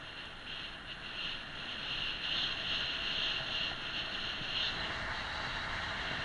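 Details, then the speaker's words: HillMiles MileCity 1 e-bike rolling downhill without pedalling under braking: steady high brake squeal over wind and tyre hiss; brakes known to squeak, cause unknown. "One annoying thing about the bike is that the brakes do squeak and you'll probably hear them in a minute."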